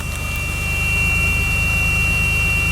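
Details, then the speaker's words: DeLorean DMC-12 (VIN 16109) test start on the second day after replacing the freespinning 40+ year old Paris-Rhone starter with a rebuilt Duralast unit for an Eagle Premier; catches quickly and settles to an even idle, faint chime. Sounds healthy. "yeah it sounds good sounds really good okay so this is the second day with the new starter i'm gonna go ahead and do another test start it starts up really nice"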